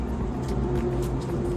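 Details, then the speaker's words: 2015 KTM 500 EXC-F, 1,800 miles, no-start with good spark and fuel: compression test cranking at wide-open throttle, light quick even cranking about four strokes a second; just above 50 psi versus expected 90–120, valve clearance to be checked. "and so we only have about 55, not even 55, just above 50. So something's going on with the compression here."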